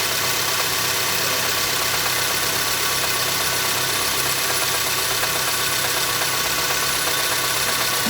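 Steady idle with a light, fairly regular tap about twice a second over a hissy background; the knock's source can't be pinned down.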